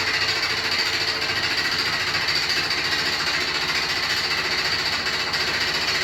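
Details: New Beko WY124PT44MW 12 kg washing machine, used 3–4 times, lightly loaded: harsh fast rattling knock three or four a second; installer left a transport bolt in and feet lock-nuts unset.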